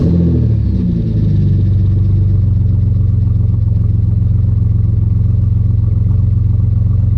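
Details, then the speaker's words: Chevrolet Camaro with 3800 turbo V6 at its first start-up after fitting a new full 3-inch exhaust, serpentine belt also running for the first time. Deep, even idle rumble with no puffing or ticking; earlier exhaust leaks are gone, though a slight tiny leak is possibly still present. "Everything's tightened up. Sounds much better. I'm not hearing the exhaust leaks like I did last time."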